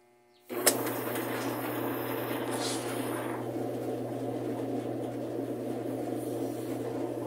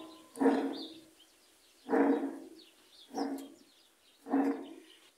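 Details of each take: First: Admiral heavy-duty washer, about 20–22 kg, after seal and bearing work, suspension springs not yet fitted, wash started by blowing into the pressure-switch hose: steady motor hum under constant churning swish; agitates normally, ruling out a transmission fault in wash. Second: Admiral heavy-duty top-load washer, about 20–22 kg, two speeds, eight cycles: water leaking past a failed tub seal reached the tub bearing, giving four deep growling surges about every 1.5 s as the tub turns; deafening noise during washing.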